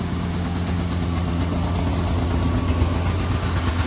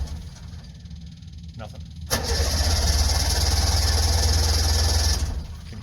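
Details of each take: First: Two-stroke Subaru 360 van, just started cold on choke after sitting a while: a rough, lumpy low putter settling into a steady idle, smoking while warming up. Running fine. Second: Two-stroke Subaru 360 van, not run for a while, battery freshly charged, choke pulled, half tank of gas: about three seconds of steady starter churning at roughly four beats a second with no catch. Cranks but won't fire.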